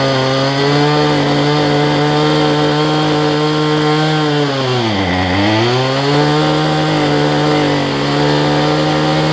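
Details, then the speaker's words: Cheap two-stroke weedeater number 2 on a new $6 replacement carb, air filter off: high buzzing whine sags midway then picks back up, unsteady and burbly; carb way out of adjustment, running rich. "I can adjust the carburetor, because these things are way out of adjustment."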